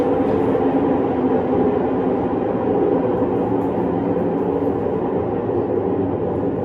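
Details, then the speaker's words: Fisher & Paykel Cleansmart WL1068P1 top-load washing machine on spin: heavy continuous low rumble and grind; suspected worn drum main drive bearings, before replacement. "does your washing machine make a terrible riding noise like that well chances are the bearings are stuffed"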